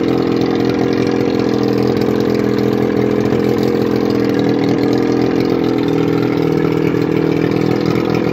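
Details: 1981 Evinrude 35 HP two-stroke outboard, run with gearcase off, 150 psi compression in both cylinders, barely warm: even, steady buzz with consistent beat, no misses or rattles; normal running.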